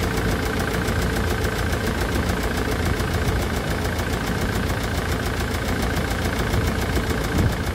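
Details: Land Rover Defender Puma 2.4 TDCi after rebuild with new wiring loom and oil pump, cold windy day, coolant being filled and bled: steady, even diesel idle clatter with a regular rhythm, no knocks or misses; running healthy.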